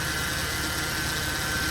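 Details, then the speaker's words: 2008 Mercedes C300 with failing, leaking power steering pump, at idle: constant thin chirp over buzzing vibration at the front, whine with steering turned; owner suspects pump, pulley or bearing; chirping and vibration at idle. "And as you can see over here causing, you know, some kind of like u vibrating noise, a little bit of a chirping noise back here."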